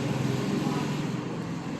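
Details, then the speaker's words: Royal Enfield BS6 single at idle with light rapid ticking on top; camshaft noise rather than tappet noise. "അതുകൊണ്ട് മുകളിലേക്ക് വേണ്ട രീതിയിൽ oil pumping കിട്ടില്ല. അതുകൊണ്ട് ആ ഒരു കാരണം കൊണ്ട് ഹൈഡ്രോളിക് നോയ്സ് വരും"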